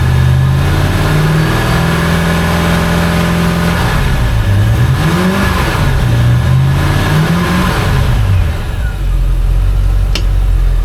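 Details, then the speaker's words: Volvo Penta 5.0GXI marine engine, warmed up, after fuel pump replacement, given dry revs. Revs climb and fall cleanly with only induction and injector noise and no pump whine: normal revving. "She's nice and quiet now. Give her some dry revs. Give her a little bit of RPM. She would have been screaming. That fuel pump would have been screaming by now."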